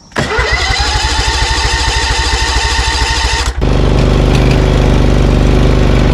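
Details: Briggs & Stratton Vanguard 20 HP V-twin zero-turn mower losing power when hot: starts and runs with an uneven, lopsided chuff at about two beats a second, then rises; misfire, running on one cylinder, a grounding coil is blamed.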